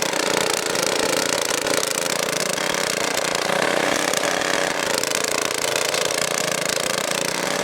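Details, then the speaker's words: Tiller small engine that wouldn't start, fixed by blowing debris out of the carburetor with compressed air: steady even buzz with no misses or surging with the air filter back on; running really good now. "I don't have the air filter, so I'm going to install that next, but just to show you, it's running really good now."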